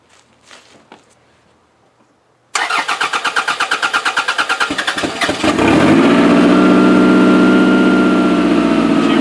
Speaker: I'm gonna start it up and drive it off the trailer